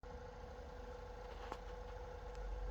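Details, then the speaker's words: Lorex 1080 HD digital video recorder: steady loud whirring hum of constant mid pitch from the cooling fan, very noisy, typically from accumulated dust; cleaning the fan should restore normal. "This is a Lorex high definition uh, digital recorder system, and you can hear this. The fans, the cooling fans, is very noise."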